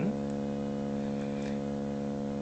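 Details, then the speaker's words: Pye TRS-2000 AM/FM radio before mod, 10uF AGC filter capacitor, fed a roughly 650 kHz AM signal modulated a bit over 50% with 70 Hz audio: low hum tone comes through gritty and buzzy; AM detector bass distortion. "modulating probably a little bit over 50% a roughly 650 kilohertz signal with 70 Hertz audio at the moment and you can hear the distortion in it"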